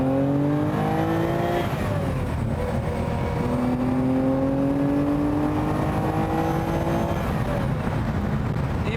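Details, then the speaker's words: 6th production Lamborghini, restored 4-cam V12 with off-the-shelf ZF gearbox, under acceleration through gear changes: smooth, clean V12 howl rising steadily through the revs, no knocks or misses; healthy engine, sound described as expensive. "Uh this is an offtheshelf ZF gearbox um which is a joy to use actually but that noise I would describe as expensive."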